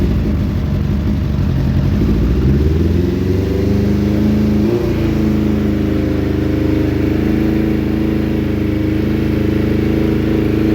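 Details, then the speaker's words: Suzuki Bandit 600 under crash repair, started again after oil and filter change on a jumper box, long cranking before fuel reached the carbs; on choke it catches and climbs in revs, uneven and spluttery, cause unknown. "the fuel wasn't just getting to the carbs or something, but then picked up the fuel and it did start and um it was a bit spluttery."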